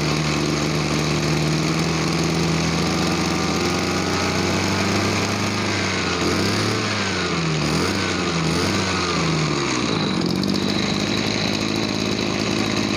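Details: Small two-stroke farm sprayer engine after cleaning and air-mixture adjustment for a weak, bogging throttle: steady buzz dipping and picking back up cleanly with throttle changes, no bogging; runs right.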